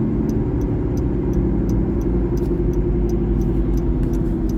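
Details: 2012 Honda Civic LX sedan while cruising: a steady low rumble under the road and engine noise. The owner suspects the driver-side front wheel bearing, not confirmed.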